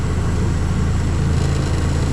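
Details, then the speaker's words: Walk-in cooler used to air-condition a garbage room: heavy steady low rumble with constant buzz, buzzing solenoid coil nearby; unit shaking violently because mounting screws are missing. "It looks way more violent. The shaking looks way more violent in real life. I don't know how much. It looks like it's just moving back and forth a little bit. But this thing is shaking like crazy."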